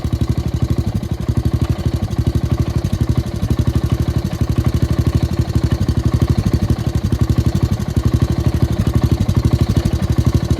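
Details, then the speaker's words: Gravely tractor engine left at idle being run dry of fuel for winter storage: steady single-cylinder thumping, slightly uneven and missing as the carburetor runs out of gas; fuel starvation before stalling. "suppose I should have left it in Full Throttle set of idle sounds like it's running out"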